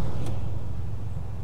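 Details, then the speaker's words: 2001 Chevy Blazer ZR2 (S10) after clutch-fan delete and electric fan conversion, idling with AC on; 16-inch electric fan engaged, strong airflow through engine bay, much quieter than the old clutch fan. Smooth steady low rumble, even airflow rush, normal electric fan operation. "already man it's so much quieter without that big fan yep press is running it's engage the clutch and I can feel a lot of air blowing through this 16in ban niceo"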